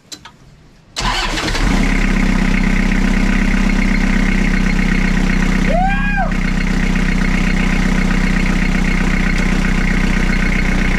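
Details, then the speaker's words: Toyota Hilux 5L diesel after injector pump timing was corrected, run briefly with no radiator: it cranks, catches at once and settles into an even, steady clatter with no white smoke, running much better than last time. "Yeah, it's a lot better than last time. We got no radiator, so we can't run it long, but it sounds good."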